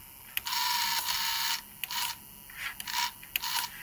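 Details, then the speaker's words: Pioneer PD-S503 CD player, newly arrived, not playing (spindle stands still, only clicking): short high-pitched motor whirs start and stop in bursts as the pickup sled carriage moves forward and reverse; carriage drive working normally. "carriage forward get it reverse let's move the carriage around yeah it's moving"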